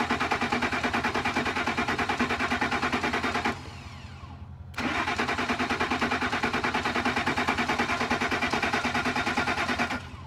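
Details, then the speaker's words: Ford F150 cranked via remote starter button from underneath: two bursts of steady cranking about three turns a second that never catch, no fuel pump heard. "does not sound like we even have a fuel pump"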